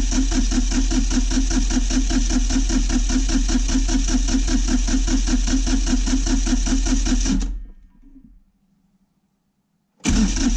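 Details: Kioti CK20HS diesel tractor after glow plug warm-up: steady starter cranking at about 2.5 beats per second for seven seconds, never fires. Owner suspects lost fuel prime or bleed-back after sitting and plans to crack injectors to push air out; not confirmed.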